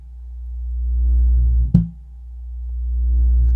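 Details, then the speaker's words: Miller & Kreisel MX-125 Series II subwoofer, 24+ years old, complaint of loud thumping: slow swelling low hum rising and falling every couple of seconds with thumps, no input, cone pumping, current surging; amplifier oscillation, capacitors suspected. "definitely doing a little bit of oscillation right here so let's see if we can figure out what is happening with this unit"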